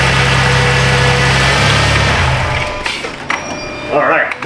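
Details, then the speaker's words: 2010 Dodge Grand Caravan 3.3 that bogged down and stalled, now running on a used replacement engine computer (PCM): low steady idle hum without stumbling or knocking, starts and runs; normal running. "good so the used computer from Wilber you bath that sponsor is a good one it starts and runs"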